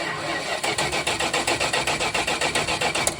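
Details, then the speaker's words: 1973 Dodge Polara 440 ex-Washington State Patrol car cranking without firing as a health check: a quick, even chuff rhythm with no skips or weak beats. Compression sounds even, so no major mechanical problem, though exact PSI is unknown. "sounds really good I'm pleased with that that doesn't tell us that this thing has 200 PSI of compression and it's going to be awesome but it does tell us that the engine is relatively even there's nothing major mechanical we need to worry about"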